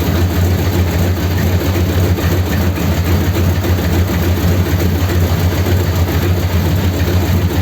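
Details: 1932 Ford sedan after a roadside fault on the way home was repaired and about a litre of fluid topped up, started to check for leaks; steady even low rumble at idle with no knocks, misses or hunting. Normal idle.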